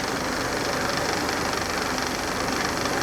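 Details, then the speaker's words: 1991 Mercedes 300CE that sat for years, idling after its idle control valve was cleaned and filled with Seafoam, spark plugs not yet changed: steady, even idle with a soft hum and no misses or stumbles. It is still smoking a little but sounds good. "This part sounds good. I'm happy with this part."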